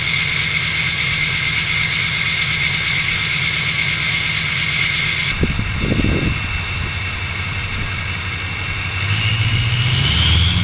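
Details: 2005 Ford F-350 6.0L Powerstroke with oversized Garrett turbo, EGR delete, ARP studs, 4-inch turbo-back exhaust and SCT tune: start-up and high idle with a loud, steady, high-pitched turbo whistle, pitch settling as the idle drops; sounds healthy.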